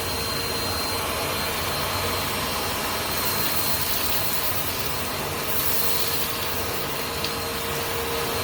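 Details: 2017 Bissell Powerforce Compact 2112 after refurbishing, hose and handle fitted: steady high airy roar with a raspy edge throughout; runs but makes an odd noise, cause not pinned down, owner accepts it as normal for this vacuum.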